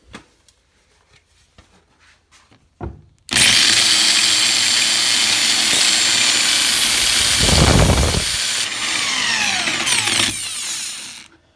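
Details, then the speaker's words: Corded drill opened up with its chuck removed, plugged into the wall: the motor spins to a high, steady whine, eases off and picks back up with visible brush sparking, and no grinding. Normal running. "Well, totally works. The things you see sparking up here are the brushes on the motor whenever he turns it on."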